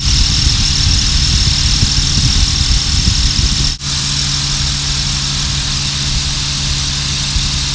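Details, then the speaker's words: 2007 Honda Pilot, about 89,000 miles, engine warm from an hour's drive, idling: a steady ticking or buzzing whine from the power steering pump. Fluid level is fine; worn O-rings are suspected of letting air in and causing cavitation. "So it's almost a ticking or a buzzing sound. That's what a lot of people describe it as."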